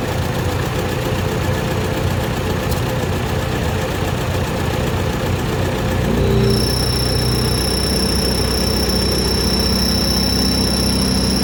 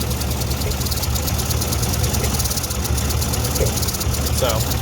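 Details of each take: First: Ford NAA Jubilee tractor petrol engine after retiming the distributor, resetting points and curing a two-cylinder misfire found with a thermal gun: even, steady low idle rumble, no missing beats, even heat across cylinders. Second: Ford NAA Jubilee tractor, restarted after sitting years, new clutch, distributor retimed and points reset: low, uneven stumbling idle; thermal gun shows two cold cylinders misfiring. Two-cylinder misfire at idle.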